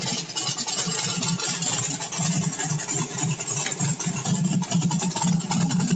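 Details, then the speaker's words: Small block V8 on pump E85 with CSU blow-through carb, no choke, cold start on a warm day, idle mixture unadjusted, running rich 8.6 AFR: deep, even burble at smooth 800 rpm idle while warming; healthy idle. "i don't know how well you can read that but that's not indicative of some monster roller it's a nice smooth 800"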